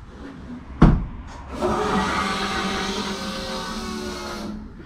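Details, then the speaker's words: K20-swapped DC2 Integra racecar after fuel system rework (clogged injectors from tank debris): ECU reset primes lift pump and surge-tank main pump, click then steady loud whirring hum for about three seconds; both pumps priming normally. "cool so you can hear both of those quite loud now"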